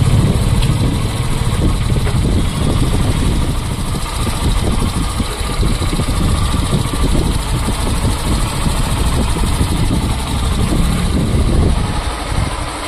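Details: Hero Super Splendor/Glamour BS6 motorcycle, about 4,014 km, after fixing a khar-khar noise from the kick-start shaft pinion by bending its stopper plate: even low steady idle, no rattle or scraping; normal idle.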